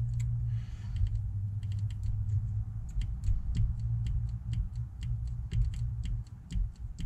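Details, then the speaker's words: Ford 7.3 IDI diesel pickup with a stalling problem, engine running: crisp light clicks over a steady diesel rumble as the injection pump timing advance solenoid is energized; solenoid clicking normally, working. "first thing I want to check is this timing Advanced solenoid now I've done this off camera just want to show you guys that all three of them work"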